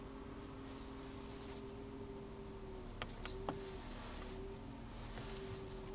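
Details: BMW E36 320i M52 engine running with a thin steady whine coming and going plus faint ticks; owner suspects the alternator, loudest at its backside by screwdriver listening, unconfirmed.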